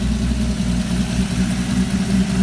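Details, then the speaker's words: 1965 Ford 200 inline-six converted from carburetor to FiTech fuel injection, newly rewired, shortly after start-up: low, even idle with steady exhaust note, no misses, stumbles or hunting, smoother than with the carburetor; normal idle. "itself idles it idles a lot a lot better than it did with the carburetor before think like it's a little bit smoother"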